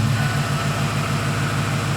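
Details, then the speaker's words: 2007 Ford F-150 Lariat 5.4L Triton V8 with VCT cam phasers that rattle at 800–1,200 rpm when revved by pedal; during the automatic 800 rpm high idle after start-up, a steady, smooth, regular idle pulse with no ticking or rattle. "when you start it up and it high Dalls for a second on its own by the computer at 800 it doesn't rattle"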